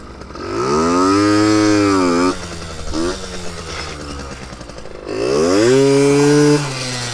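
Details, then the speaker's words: Yamaha RX50 50cc two-stroke barn find on top speed run climbing hills, after a too-rich mixture: crisp note rising cleanly through revs on two pulls with short lift, no stumbling; more power, clean running. "now it finally feels like it's running better now definitely more power oh yeah it was definitely too rich"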